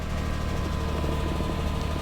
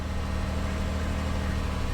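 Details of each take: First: 2004 Lexus RX 330, 3.3-litre V6, first start after wholesale purchase: steady idle with a light, fairly quick clicking over it, cause not identified; ticking at idle. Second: 2004 Lexus RX 330, 3.3-liter V6, bought sight unseen, first start: even, low V6 hum with steady drone, no knocks or misses, smooth idle with little steering-wheel vibration; engine sounds healthy.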